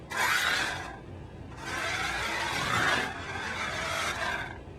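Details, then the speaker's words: Ninco Fiat slot car after repair for hop chatter (one screw adjusted), motor whir rising and fading while driven hard through a corner; smooth, no chatter, normal running. "take a listen nothing and take a listen nothing and the control it just feel so much better"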